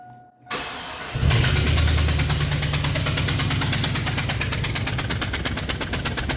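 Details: Chevy 1500 V8 with a cylinder 7 misfire after an injector change, run with that cylinder's spark plug removed: engine runs with a loud, sharp, rapid popping over the idle as combustion blows out the open spark plug hole.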